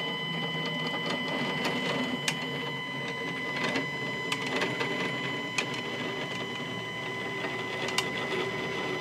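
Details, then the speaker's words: New Stepcraft 840 CNC during setup with axes loosened: steady high stepper whine with scattered sharp ticks as the axis travels back; rough, noisy movement, with 2-3 mm play noted. "and now we're going to go back boy does that sound like [Music] crap"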